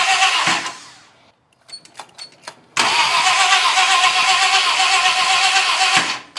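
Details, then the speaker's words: 1966 Ford Country Sedan 390 FE big block, freshly rebuilt with performance cam and used heads; two bursts of even fast cranking, about four beats a second, no firing despite spark and oil pressure; crank no start, owner suspects low compression from tight valves. "This should be getting spark. Okay, we are getting spark. What am I missing here?"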